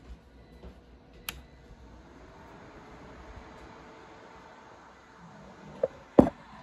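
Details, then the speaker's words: Ender 3 3D printer that beeped continuously and stuck on the boot screen from exposed wires grounding out at the bottom: after pulling the wiring clear it powers on with a faint fan hum and no alarm beeping. "okay so the error is gone"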